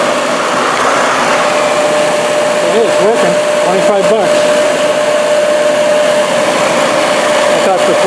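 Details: 8-inch Workforce bench grinder, 120 V 5 A, dated 1998, bought used with a wire brush and a stone wheel, first test on a 20 A outlet; steady even motor hum with faint constant tone, no knocks or wobble: normal running.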